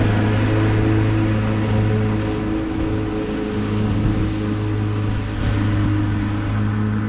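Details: Husqvarna YTH21K42 ride-on mower after replacing a too-long 101.4-inch deck belt with a 100-inch belt: steady low engine drone, blades spinning evenly, no slap or squeal from the deck belt; mower running healthy.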